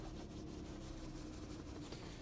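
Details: Citroen turbo petrol that had misfires, limp mode and codes P0087/P0313 from low fuel rail pressure, after the scan-tool reset procedure: quiet, even idle with a steady low hum and no misses; warning lights out.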